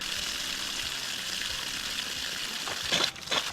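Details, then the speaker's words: Outside water line fed by a newly installed pump after the old pump froze: running water hisses, then spits and bursts as trapped air blows out of the tap after refilling. "A little bit of air popping out of that fella. Bit more."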